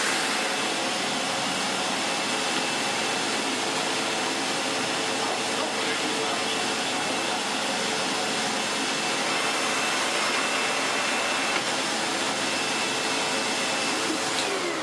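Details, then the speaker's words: Sebo X4 Pets Eco upright vacuum after refurb and new bag, first test: steady high rushing motor roar with a thin hiss, then spin-down. There is no suction at the head, traced to a part not fitted back on during reassembly. "No suction. What on earth has caused that? Bear with, and I shall figure out."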